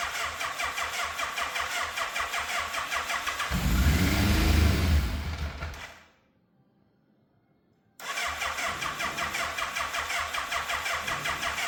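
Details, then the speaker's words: Fire-damaged Yamaha FZ750 motorcycle, 41,000 miles, choke on, carbs primed: sluggish cranking, catches and runs about two seconds then stalls; owner suspects weak battery. "Okay, so it's still starting and then dying. So something tells me the battery might not be up to scratch, because it doesn't sound like it's trying to turn over quickly."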